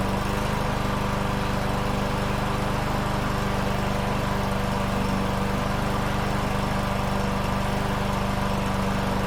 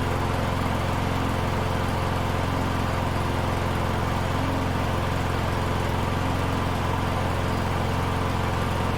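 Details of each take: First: Troy-Bilt TB110 push mower with Briggs & Stratton 550EX single-cylinder engine, restarted after months sitting and fuel-system service, air filter on: steady, even putter with no misses, rpm slightly low; running properly, rpm adjustment planned. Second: Troy-Bilt TB110 push mower with Briggs & Stratton 550EX single-cylinder engine, running after fuel system cleaned following months of sitting: steady but slow low putt; idle rpm set a little too low, needs adjustment.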